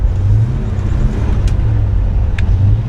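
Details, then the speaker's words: Rebuilt 1957 Chevy Bel Air with a likely disconnected vacuum line (vacuum leak): loud, steady high-rev engine roar with no shift drop, transmission stuck in first gear. "stuck in first gear it's it's always something guys always something with these damn cars man"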